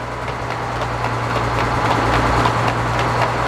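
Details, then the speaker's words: Frick top saw #1758 sawmill, engine droning steadily: light clips about three times a second, like a horse going down the road; flat belt suspected of tracking off and rubbing one side, possibly from imbalance, not confirmed. "clip, clip, clip. It sounds like a horse going down the road."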